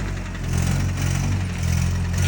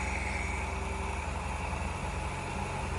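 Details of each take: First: Nissan Hardbody truck before an engine swap: deep, lumpy note rising and sagging unevenly; engine runs rough. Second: Nissan Hardbody after engine swap, once a missed unplugged injector was plugged in: even steady idle, smooth low rumble, no stumbles; earlier slight misfire fixed, runs really good.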